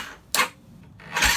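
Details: Yamaha YFZ 450 that wouldn't crank, with lights on but no noise, after repairing a loose spliced yellow wire at the neutral relay: a click, a short crank, a pause, then it fires into a rough, lively run. Normal start.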